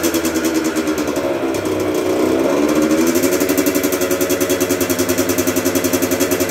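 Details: 1996 Yamaha YZ80 80cc two-stroke, first start after full rebuild, kick-started after priming kicks with choke out; crisp, even popping that rises smoothly on throttle blips and settles to a steady idle; normal two-stroke idle and rev.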